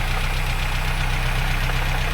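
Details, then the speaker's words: Mitsubishi Conquest TSi G54B turbo parts car, barn-stored about 20 years, running on 20-year-old fuel, heavy exhaust smoke: deep steady fast knock under rough idle; suspected worn rod bearings and likely piston rings. "oh yeah she's knocking good huh so to me that sounds like rod bearings if I'm not mistaken so I think the rod bearings are pretty shot on this"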